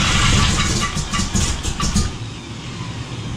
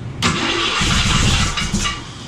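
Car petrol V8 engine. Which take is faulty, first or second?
first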